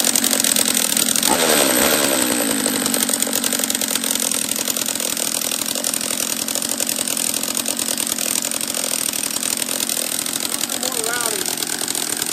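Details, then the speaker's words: Husqvarna 44 chainsaw after a refurb, on its second heat cycle, with gas leaking near the fuel line and petcock; it dislikes choke and half throttle. Raspy, uneven burbling idle; the mixture was rich, so the carb is to be turned back an eighth of a turn. "oh hmm oh it was rich that's what it was let's turn it back a eighth of a turn or so"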